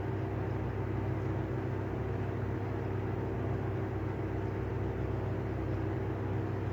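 Steady low droning hum with a faint rough, rapid flutter beneath it, no speed change; this exhaust fan's bearings are worn out.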